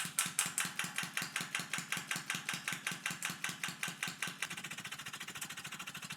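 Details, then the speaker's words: Small liquid-air-driven piston engine running at tank pressure just over 0.4 bar: sharp regular click every stroke from large crankshaft play, thought to throw the piston off center where unsupported by the cylinder. "no i then realized that clicking noise you can hear was actually a huge amount of play in the crankshaft which i think throws the piston off center when it's unsupported by the cylinder"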